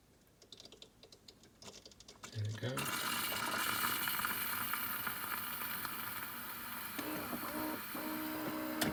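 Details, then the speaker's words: Philips EP4346/70 bean-to-cup coffee machine heating up at startup: a sudden steady hiss with gurgling and faint ticking; owner suspects it is linked to the weak coffee, still unfixed after warranty repair; cause unconfirmed. "hopefully you'll hear it as it heats up you'll hear like a a bubbling and a hissing like I say we haven't got a problem with the noise itself I just think the noise is related to the issue"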